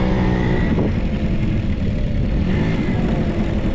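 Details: Vintage Honda 12V Squash scooter (AB11-1055) two-stroke: short buzz rising and settling smoothly with throttle, quiet, no rattles or knocks; normal revving, healthy engine.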